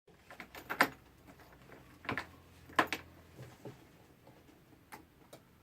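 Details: Peugeot E-Vivacity scooter that won't start: sparse dry clicks, roughly one every second or two at uneven spacing, with nothing spinning up. Cause not clear.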